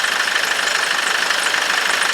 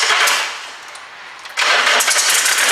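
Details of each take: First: 2006 Nissan Navara diesel that had spluttered and stopped, no diesel in the system, running after the fuel lines were bled: fast, even diesel clatter at idle with a steady beat and no stumbles or knocks, some blue smoke; normal idle, injectors seem fine. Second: 2006 Nissan Navara diesel that spluttered and stopped, told it needs injectors: dry, hollow cranking in two long bursts, barely catches and won't rev with pedal floored; suspected water in the diesel system starving the engine.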